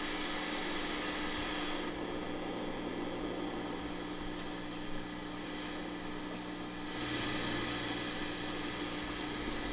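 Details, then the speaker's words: Fender '68 Deluxe Reverb amp recorded by a camera-top shotgun mic, nothing played: constant hiss with a steady hum underneath; excessive noise floor, more noticeable at high volume. Cause suspected, not confirmed. "the concern that i have with this amp is just how noisy it is it's just floor noise"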